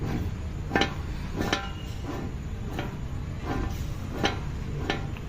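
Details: Hyundai i10 worn wheel bearing with play: sharp ticks about once every 0.7 seconds over a low rumble.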